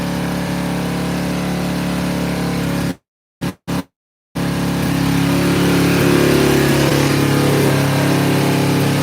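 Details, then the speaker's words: Motorcycle started cold in snow, after earlier sounding like only one cylinder fired on high choke: now even, steady idle with a clean regular beat, no misses or stumbles; running perfect once warmed. "Now it's running perfect. Listen to that thing, it's purring like a kitten."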